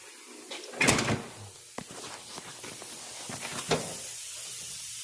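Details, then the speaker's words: 1992 Kenworth truck with 89,000 miles: after a few clunks a steady airy hiss of air escaping from a leaking brake air tank; tank to be replaced. "can hear the air leak there that's what we got to fix"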